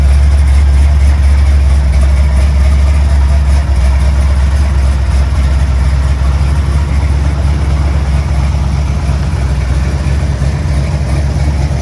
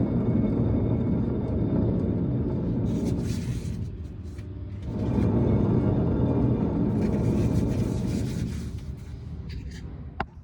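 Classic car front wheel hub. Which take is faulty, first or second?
second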